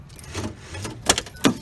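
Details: Ford Explorer power door lock after fix: two crisp clunks about a third of a second apart, lock and unlock, firm and clean; lock now pops up, actuator working properly.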